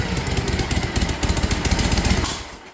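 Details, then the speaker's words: 1956 Harley-Davidson FLH with Bendix carburetor, restored, first-kick start: big twin lopes with slow uneven firing pulses that fade out; idle speed a touch low, may need turning up. "Yeah, we might have to turn the idle up a little."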